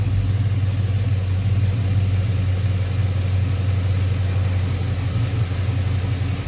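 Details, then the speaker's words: 2005 Chevrolet Tahoe 5.3L 4x4 that was stalling (new fuel pump, P0174 lean bank 2), after a bad ground was fixed: a deep, even rumble at a steady pace with no stumbles or misses. A smooth, healthy idle. "i think it's probably gonna run way better now than it's ever run in a long time"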